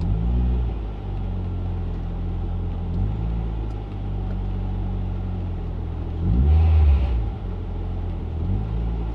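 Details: Mk6 Ford Fiesta ST after a cleaned throttle body and a new intake pipe with crankcase breather line: deep idle, then a quick blip where the revs hang before sagging slowly back; idle hang persists, cause unconfirmed.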